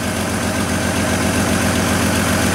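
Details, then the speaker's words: GM Trailblazer idling with an uneven, lumpy misfire from one dropped cylinder; after swapping coils 2 and 3, the scanner shows the misfire moved to cylinder 3 with the coil, confirming a failed ignition coil rather than the computer. "still missing one now let's see if the misfire according to the scanner moved"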